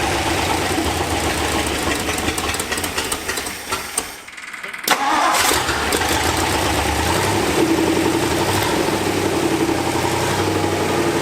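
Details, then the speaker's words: 1964 Ford F-100, abandoned nine years, after a new fuel filter, a carburettor rebuild and new plug wires: it catches after a brief pause into an even rumbling idle with no misfire or knock. It idles cold without choke and without smoke. "that's idling with no choke and it's not even warm yet it's not smoking hell yeah dude"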